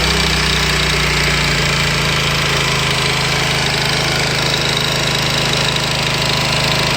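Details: Honda VT250 Spada engine, cold, most noticeable around 3000 rpm and gone after warm-up: steady mid-rev run with a busy metallic rattle over the exhaust, an abnormal cold-engine noise with unclear cause.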